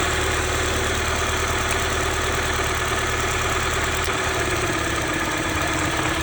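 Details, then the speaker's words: 1995 Honda Civic D16Z6 1.6 L inline-4 at idle during injector-unplug test: idle turns noticeably rougher and lumpier with this injector disconnected, so this cylinder fires fine and is not the misfiring one. "You can see in the camera and you can hear that that performance changed a lot. So, it's not that injector."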